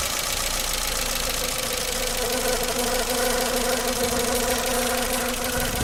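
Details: Renault Logan 1.4, hot engine at idle: rapid, uneven metallic tapping about three per second over the engine; engine knock, cause not pinned down.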